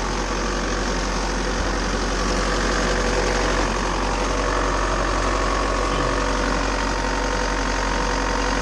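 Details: Bobcat T590 diesel after water pump replacement (old pump bearing failed, seal leaked coolant), coolant topped up, cold, warming toward thermostat opening, no leaks: steady idle with usual clatter, even rhythm, no misses.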